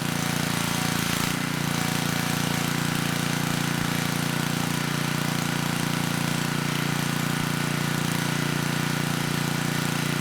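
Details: 10hp Tecumseh HM100 on a 6000 W Western Hemisphere generator with a replacement Oregon 50-656 carburetor; started easily on choke, surged briefly, choke off after about 30 s. Constant steady drone, no surging or misfires. Normal running.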